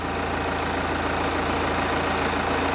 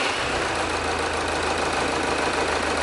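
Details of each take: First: Diesel idling with a pressure-pulse sensor at the tailpipe, synced to injector 1: a steady, even, regular beat with no skips or knocks. The exhaust pressure waveform is a regular, even pattern, so the engine is healthy. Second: Diesel engine idling, pressure sensor in the tailpipe, one injector deliberately unplugged to create a misfire: a rough, uneven beat with a dip in the clatter every cycle; one cylinder is dead, causing a large waveform anomaly.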